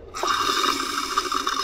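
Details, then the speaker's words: F4A232 automatic transmission air test: air applied to the end clutch (4th gear) port gives a steady hiss through the whole burst, showing a leak in the end clutch seal, a leak noted before disassembly. "Okey, apa yang kalau anda boleh dengar itu adalah kebocoran pada bahagian end clutch dia, maksudnya pada bahagian bahagian gear 4 dia ada kebocoran."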